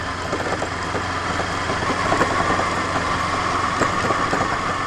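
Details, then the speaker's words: Small Ninja motorcycle ridden over potholed road, front fork rebounding very slowly; irregular sharp knocks from the front end despite steering head checked tight with no play, resembling steering bearing noise but traced to the fork. "E ó, não sei se vocês notaram, vou até parar de falar um pouquinho, a barulheira lascada. Passar num lugar mais emburacado aqui, ó."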